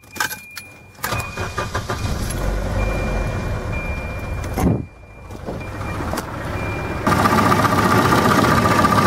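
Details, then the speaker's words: Volvo wagon, M46 gearbox, turbo, just after oil change and crank pulley swap: starts and settles into a fast idle with light regular top-end valve tapping, softer than before; improved, revs responsive without bogging. "yeah yeah maybe not a lot better but definitely an improvement you can hear the valves aren't so noisy and taery now"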